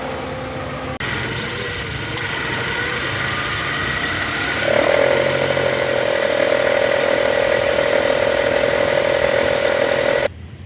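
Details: Toyota Alphard ANH10 engine at idle. A steady gritty growl or whine sits over the idle, louder after a small blip. Spinning the weak belt tensioner by hand shows its bearing is rough. Belt tensioner bearing growl.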